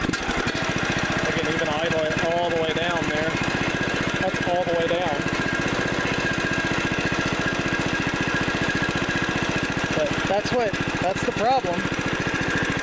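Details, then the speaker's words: 17.5 hp Briggs & Stratton OHV from a John Deere D100, cold start after sitting overnight, after a camshaft replacement fixed a broken decompression release (Walbro carb fitted): the single cylinder fires evenly at a steady idle with no popping or backfire. "So, that was the whole problem was the decompression release uh broke and that kept it from starting or running correctly"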